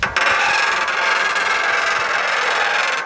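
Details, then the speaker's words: Bicycle disc brake with the front brake fully locked while the bike is pushed forward; a loud, harsh rubbing squeal with no braking force: oil-contaminated disc brake squeal. "i'll just roll the bike forwards and i'll let you listen to how badly it squeals and how much it just doesn't work"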